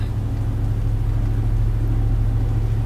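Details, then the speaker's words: Truck after a new driveshaft was fitted, balanced with an indicator but no balance weights, driving between about 50 and 65 mph: constant low even hum like mud tyres; likely driveline vibration, cause unconfirmed. "And I don't know if you can hear that, but there's a slight hum. It makes it sound as if I've got like mud tires on my truck."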